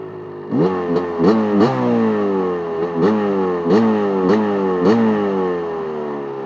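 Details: KTM 250 SX two-stroke idle with uneven clattery bursts about three a second, each dropping in pitch; only happens when hot, sometimes heard while riding; owner suspects the power valve.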